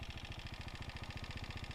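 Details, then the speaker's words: 2018 KTM Duke 390 at 49,657, idling: fast even low pulsing about fifteen beats a second over soft idle hum; owner can't locate the noise, engine or above it; cause unconfirmed. "Sound check करो guys, मतलब पता नहीं भाई ये किस चीज़ का sound है। मतलब इधर से आ रहा है, इंजन से आ रहा है या इसके ऊपर से पता नहीं चल रहा है, इधर से"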